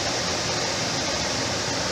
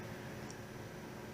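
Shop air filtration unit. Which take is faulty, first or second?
second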